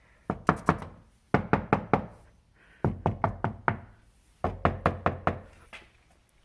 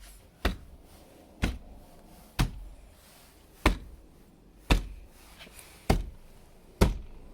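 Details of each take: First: 2014 Jeep Grand Cherokee WK2 diesel, about 50,000 miles: a knock test on the bare front door's inner panel, trim off and before deadening, gives sharp hollow knocks with short ring. The panel resonates slightly and has flat spots. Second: 2014 Jeep Grand Cherokee WK2 diesel, about 50,000 miles, front door after sound deadening (Noico, 5 mm closed-cell foam decoupler, Tesa tape): seven dull knocks on the reassembled panel, dying quickly with no ring or rattle; door well damped, shuts solidly.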